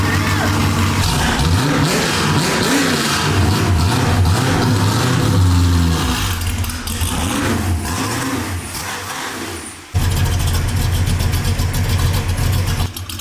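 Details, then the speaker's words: 1967 Ford Mustang, first start in four months after transmission repair: loud catch, several sharp throttle blips, then a lumpy but steady idle; sounds healthy. "punch feels good she sounds good [Music]"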